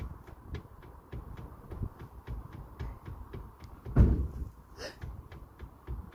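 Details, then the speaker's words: Peugeot 407 3.0 V6 coupe jacked up, wheel wiggled by hand: dull, steady knocks about three a second from play in a suspected worn wheel bearing. "Hear it knocking, vibrating."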